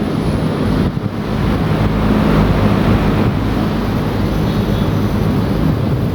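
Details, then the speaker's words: 420,000 BTU VRF system (2 outdoor, 15 indoor units) commissioning, error cleared at stage 10, outdoor unit in test run with both fans on; steady low fan rush, smooth compressor hum, no knocks; normal running. "I thought the fan them are blowing now. So both fans are on."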